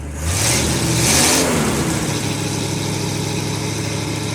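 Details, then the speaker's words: 1952 Ford F-1, first start in 28 years, rebuilt carb, PerTronix ignition, new plugs, after adding gas and using less choke: catches with a quick rev then settles to a steady, even idle with no stumble; normal idle. "So close. What I needed was more air, less choke. I got it running! Woo!"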